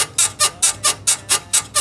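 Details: BMW E53 X5 rear suspension, body rocked by hand at 34°C: rhythmic high squeaks about four per second in time with rocking, traced to the right rear upper control arm bushing; worn control arm bushing, replaced.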